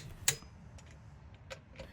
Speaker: Using my trusty torque wrench, I got them torqued to the correct spec.